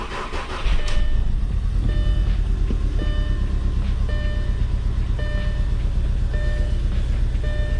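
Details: Gasoline engine catches and settles into an uneven, stumbling idle with irregular ticks and hiccups in the beat, an engine misfire of unknown cause before diagnosis.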